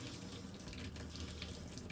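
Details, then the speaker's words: Fifth-wheel RV water pump running: steady rush of water from the open tap over a faint, even hum, with no rattling of the wall pipes; quiet normal running. "I'll turn it off and then the pump will be going just for a little bit longer you'll see how quiet it is pretty cool huh"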